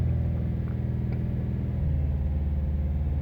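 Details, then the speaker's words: 2017-2018 Subaru WRX STI boxer engine, still running in: deep, steady hum booming through the cabin, then shifting lower; body drone at a certain rpm, felt like one cylinder was half down. Cause suspected, not confirmed. "so now what you get here you get at a certain rpm you'll get this droning through the body like all cast or most cast do it like an inline six might not but they do the beams even do it"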